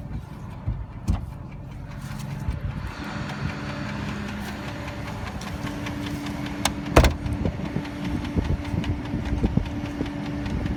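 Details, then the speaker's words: Dodge Durango 4WD (2005/2006), 4.7 L V8, 154,000 miles, ex-police auction: steady light tick at idle keeping time with engine speed; cause unknown, mechanic says it may be drivable for a long while. Engine tick/knock at idle. "ome type of tick I don't know what it is um my mechanic said that you might be able to drive it for quite a while before it has any effect"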